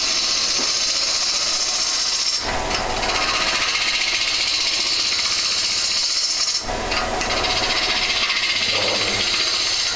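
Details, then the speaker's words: Woodturning a lamp on the lathe: steady hiss of cutting abruptly turns harsher and scratchier twice as the tool carefully removes wood and reaches the bottom of the drilled centre hole, before the live centre is fitted; a sound described as "not a good noise." "you start hearing that noise you know it's not a good noise you get to the bottom of that pool"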